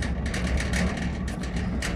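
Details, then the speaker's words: Trailer wheel spun by hand: coarse uneven low growl with a gritty rasp, while the wheel on the other side spins silently; the bearings are dead and need replacing; worn wheel bearing. "ça fait du bruit les roulements sont morts et fou à changer"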